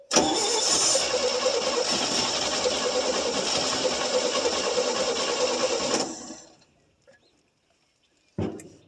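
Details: 1966 GMC half-ton, 250 inline six, sitting about two years, HEI just hooked up and plugs not fully tight: the starter cranks steadily for about six seconds with no firing; it seems starved of fuel.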